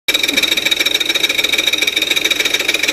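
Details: 2002 Audi A4 3.0 engine: sharp, even tick about 3.5 times a second over idle, started after front-end accident knocked timing and timing belt was replaced; absent on cold start; source unknown.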